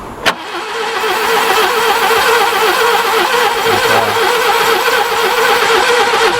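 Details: Barn-find Subaru Brumby ute, previously seized and full of water that ran into the carburettor, now turns over easily. After a click, the starter spins it at an even, brisk rhythm for several seconds without firing: cranks, no start.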